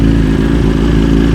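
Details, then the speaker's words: 2023 BMW S 1000 RR, warm, on Brentuning ECU flash with Sprint air filter and relocated IAT sensor: fast, smooth four-cylinder idle, steady, no hunting, popping or misfire. "Hopefully it just starts now and has a nice idle at about 1800 RPM."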